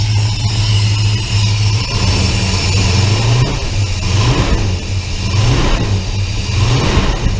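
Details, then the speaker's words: 1966 Plymouth Belvedere 440 Mopar V8, first start after FiTech EFI install with idle set at 800: idles high and surges up and down every second or so before settling; fast idle hunting. "it's running I don't know but that's that's a lot"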